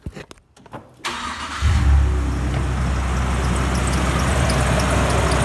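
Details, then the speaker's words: 2002 Nissan Frontier V6 started at idle after overheating; owner suspects water pump problems. Exhaust tone is uneven and slightly stumbling: a light misfire at idle. "It's actually not running too bad. It's misfiring a bit, but here's the exhaust tone. You can hear it sounds a little off."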